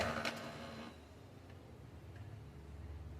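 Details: Brother DCP-2540DW laser printer after repair of paper stopping at the exit with a gear noise: short burst of feed noise, then a quiet, even motor whir with light ticking and no gear grinding or clacking; printing sounds normal.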